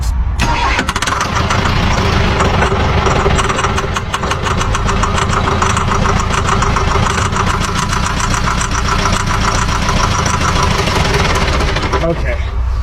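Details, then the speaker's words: Old recovered diesel with knocking, oily exhaust and a disengaging starter, cranked while the bleed valve on top of the fuel filter is cracked open: long, laboured cranking that catches and chugs unevenly; air in the fuel, air bled out and a good prime. "we got a good prime. A bunch of air came out of there."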